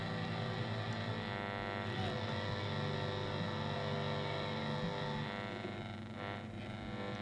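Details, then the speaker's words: 1950s Ferranti A1016 three-band (long, medium, VHF) valve broadcast radio, first check-over before restoration: low steady hum with buzzy edge under faint music and inter-station noise; mains hum suspected from old capacitors, not confirmed. "although there's bit of hum and the hum I would attribute to old capacitors"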